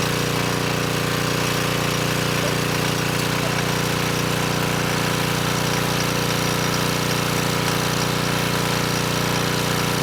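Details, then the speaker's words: Coleman Powermate Pulse 1850 generator (1996 engine), after repair, under a space heater drawing slightly more than its 1500 W rating: steady, even drone holding pitch with no surging or hunting, 114 V maintained at about 62 Hz; normal running under load. "so i think we're in pretty good shape the generator is only rated at 1 500 watts and this space heater actually pulls slightly more than that and i was able to maintain voltage of 114 volts so i think we're good there"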